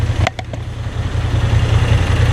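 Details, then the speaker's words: New Moto Guzzi V7 III, warm after 75-mile ride, idling in neutral with clutch out in underground garage: loud lumpy low idle with loose tinny bucket-of-bolts rattle on each pulse; source unknown. "Now you can hear the cute little bucket of bolts really good."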